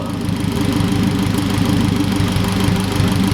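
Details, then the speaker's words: Turbo 8th-gen Honda Civic build on its first start: choppy, uneven idle with irregular low thumps because the VTEC solenoid on the back of the engine was left unplugged; it smoothed out once reconnected. "hey there's a there's something's unplugged you're like in VTE right now I'm in VTEC right now"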